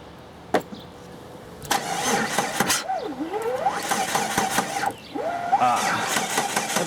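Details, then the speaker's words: 2004 Jeep Grand Cherokee no-start, cranked on a weak jump pack during crank/cam sensor testing: starter whine sags and wavers, turning the engine slowly; battery too dead to crank properly. "battery's just too dead it's not not letting me do it"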